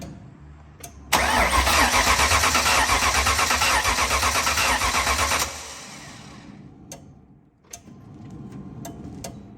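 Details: Built 5.0 V8 in a Fox-body/SN95 Mustang with new BBK headers, fuel confirmed at the fuel line: starter spins steadily for about four seconds at roughly 170 beats a minute but never catches; no spark, crank no start.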